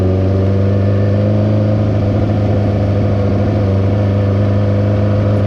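Steady low engine drone with a rough, slightly puffing edge and no clear rhythm at low speed; fits a small exhaust leak.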